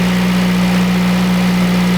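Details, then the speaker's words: Honda engine after fixing a whining engine-bay noise and exhaust heat shield, about 25 minutes running warm: smooth, even low hum at idle with no ticks, knocks, rattles or whine; fixed, runs healthy. "right so it's been a good 25-ish minutes or so still running absolutely fine no noise nothing at all I think that we've cracked it perfect"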